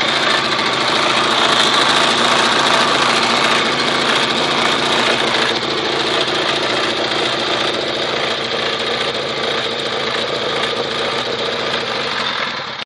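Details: Honda CBR 1000 motorcycle idling: a light, fairly steady ticking of about three to four per second over a high, busy engine note; the cause of the small engine noise is unclear.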